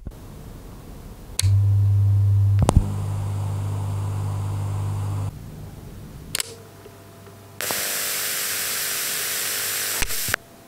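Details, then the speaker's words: KRK Rokit 6 powered studio monitor, no input signal, mic right up to the drivers: steady low hum from the woofer, then a soft even hiss, more pronounced on the tweeter, the built-in amplifier's noise floor. "if you don't apply any signal to them whatsoever and you actually put your ear up to the Tweeter like this and the woofer uh to some uh respect as well but it's more uh pronounced on the Tweeter you can actually hear a lowlevel hiss on there"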